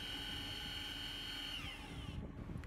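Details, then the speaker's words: 2017 Lexus RX350 AWD rear electric parking brake re-engaging on exiting service mode: steady high motor whine that sags in pitch as it loads up, then cuts off, normal operation. "Once the brake job is done, you can hit Exit Maintenance and you will hear the motor sound again to re-engage the parking"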